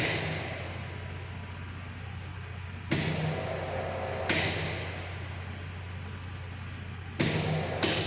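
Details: High-voltage lab sphere-to-sphere gap, 20–30 mm spacing, voltage raised via variable autotransformer: loud sharp cracks over steady hum as gap flashes over; breakdown 35.42 at 30 mm (vs 12.76 before).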